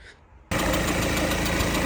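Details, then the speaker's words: Peugeot Expert diesel van, just refilled with coolant after a coolant leak: catches and idles with a sharp, rapid chuffing tick on top, suspected as one injector knocking; not confirmed. "All right. Um, you can hear that little injector uh chucking away, but um I filled the coolant up."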